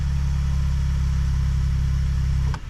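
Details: 2020 Ford Expedition Max XLT EcoBoost started for a few seconds right after an oil change with 5W-30 full synthetic and new filter, oil pressure good: smooth, steady low idle, even hum, no knocks or ticks, then shut off; healthy.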